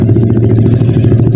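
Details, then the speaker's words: First-generation Honda Beat FI scooter with kick starter, after a failed CVT cover bearing wore the pulley shaft, fixed with a plug-and-play pulley nut instead of a new shaft. Even idle with no rattle from the CVT pulley; now quiet. "Oke, saatnya menguji. Dan saya sudah mengujinya sebelumnya. Dan syukurlah, sekarang sudah tenang dan beres."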